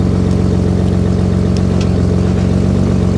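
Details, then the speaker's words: RB25DET power steering after replacing the pump-to-rack hoses with correct-size hose and clamps, bled, reservoir cap on: at full lock the engine holds a steady idle with no pump whine or groan; normal power steering. "All right, that's hard lock. That's hard lock. Beautiful."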